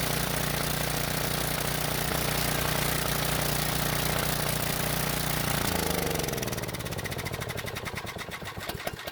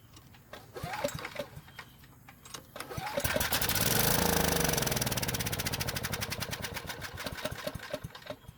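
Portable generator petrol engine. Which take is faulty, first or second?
second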